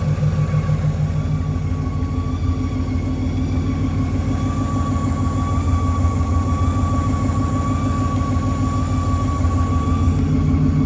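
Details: Naturally aspirated Ford Mustang Boss 302 running: a thin, constant whistle above the exhaust note, pitch holding steady, sounding like boost; stethoscope finds pulleys fine and traces it to the driver's side bell housing; clutch or flywheel suspected.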